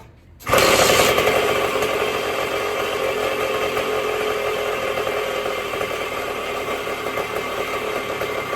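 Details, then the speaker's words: 1974 Indian SE74 dirt bike, Minarelli P4-70 two-stroke, sat about 30 years, after carburetor rebuild, woodruff key and points reset: fires and holds a fast, even, buzzy idle; runs properly, carb idle still being adjusted. "We got a runner, baby."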